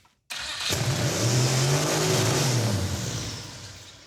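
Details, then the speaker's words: Turbo Mazdarati 2.0 fired up with the disliker exhaust pipe, engine spinning backwards in reverse: it flares to a high sustained rev with no cutback before slowly sagging; throttle stuck open, runaway rev. "throttle stuck open much it's also in Reverse yeah it was spinning backwards but also didn't it rev to the Moon"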